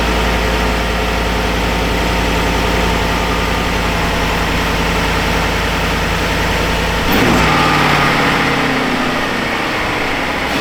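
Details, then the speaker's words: 2015 Ford F-150 5.0L V8 that only clicked, after starter replacement; fuel pump prime not heard: starts and runs a steady, smooth, deep idle with no knocks or misses; sounds healthy. "I did not hear the fuel pump prime at all, but let's try it. Yep, she's good."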